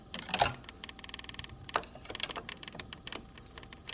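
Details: Siemens refrigerator: light irregular plastic clicking and clattering like loose trim against the cabinet, no steady hum; owner suspects plastic near the rear wall or a freezing spot transmitting the noise, not confirmed.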